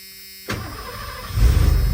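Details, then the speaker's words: 1991 Ford F250 V8, after sitting: stumbled on the front tank, so front fuel pump suspected bad; switched back to the rear tank, brief crank then quick catch into steady even idle. "fired right back up on the rear tank."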